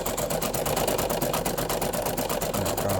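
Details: Brother PE800 embroidery machine embroidering with a loud, regular clattering knock. The crankshaft has play when moved by hand; a worn, dry crankshaft bushing is the cause.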